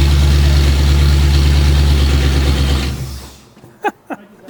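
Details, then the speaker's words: 1977 Jeep Wagoneer Chop Top barn find, first start on temporary wiring: a heavy, deep booming idle for three seconds, then shut off. The exhaust drone is excessively loud. "that is stupid loud there's no way we're Wheeling with that drone machine"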